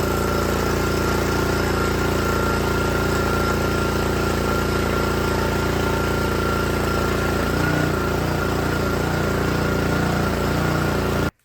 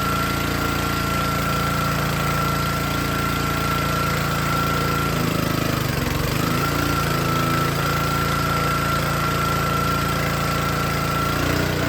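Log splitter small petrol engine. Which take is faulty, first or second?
second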